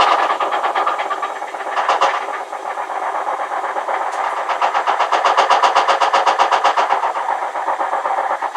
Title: Hotpoint WMAL641 Loud Noise. Any solution?